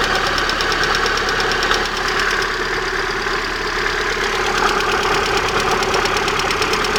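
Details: Steady, rapid ticking knock at an even rate over the idle, heard near the exhaust manifold; owner asks what it could be, cause unknown.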